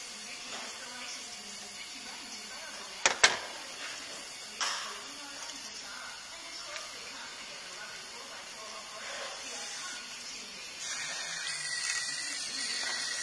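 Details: Cylinder leak-down test with the intake manifold pipe removed: a steady, soft hiss of air escapes through the open intake the whole time, showing the intake valve is not seating on this cylinder head.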